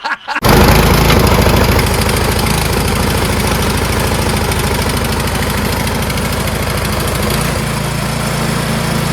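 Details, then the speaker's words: Troy-Bilt Storm 2410 two-stage snowblower, reassembled with new Hipa carburetor: single-cylinder thumping at a steady, even beat with no hunting, running much smoother, choke mechanism clicking smoother; owner thinks it beats the OEM carb. "It is a lot smoother. Yeah, the mechanism for the choke, the clicking, so much smoother."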